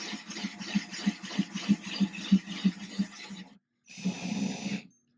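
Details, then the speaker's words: Diamond bit in a Ryobi drill cutting thin 10-gallon aquarium glass with a guide jig, no pressure, kept wet with water: low drill hum pulsing evenly as the bit grinds steadily; normal glass drilling. "So again, just no pressure, nice and slow. You can hear the bit is grinding, it's doing the work."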